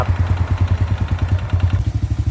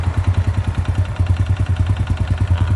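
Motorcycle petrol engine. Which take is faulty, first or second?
second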